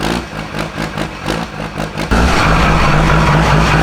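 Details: 2000HP Cummins diesel drag truck moving under its own power for the first time in about a year and a half. Lumpy pulsing about three beats a second, then a loud load increase; owner says it's not running right. Rough running.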